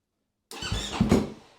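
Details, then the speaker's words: KTM-type snowbike cold start: cold start button engaged, starter blipped briefly to warm a cold battery; one-second crank with a few low chugs, no firing; expected to need 2-3 tries, jump pack if still no start. "And so this might take 2 or 3 times on the start to actually get the bike to turn over and start. And so you'll actually hear it getting better and better at starting every time you do it."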